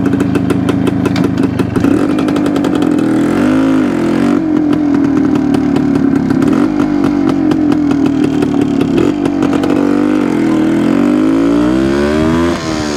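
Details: 1972 Suzuki TS250 two-stroke on road after carb work with 170 main jet: steady buzz that dips and wavers as throttle opens; sounds better but still not taking fuel, owner plans to change spark plug; hesitation.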